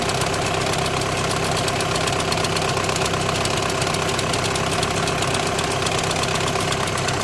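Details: 2008–2014 VW with DSG gearbox at idle: a steady engine hum carries a fine rattling chatter at about two beats per second. The diagnosis is DSG clutch plate vibration, with the plate bearing also tagged.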